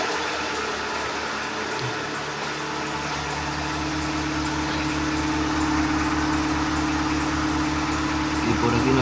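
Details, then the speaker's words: Seat Ibiza 1.4 gasoline after replacing spark plugs and ignition coils, previously running on three cylinders: steady even idle hum with no misses or pops, auxiliary belt audible; normal idle. "Let's start it and see how it goes. The auxiliary belt sounds. Let's see if the motor here. For now it seems round"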